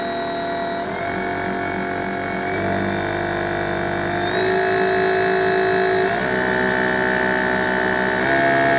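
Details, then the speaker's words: DIY thyristor-based 220 V, 4000 W DC motor speed controller test: motor whine steps up in pitch toward highest speed, then runs smooth with no electrical hum, only vibration and motor noise. "Bien, pas de bourdonnement. Ce ne sont que des vibrations et le bruit du moteur lui-même."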